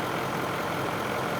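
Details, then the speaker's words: Ford F250 6.7L diesel after DEF fluid was put in the fuel tank and the engine was run; after the repair it starts and idles steady and even with smooth clatter, no knocks or misses, sounding healthy: normal idle. "So let it idle. Yep. I mean, it sounds good."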